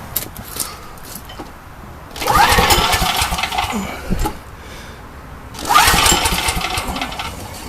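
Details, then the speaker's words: Old Coleman generator with Vanguard engine after replacing a half-fouled spark plug: two bursts of engine sound, each settling to a steady even run with no speed swings; surging cured. "turn it on [Music] well no surging"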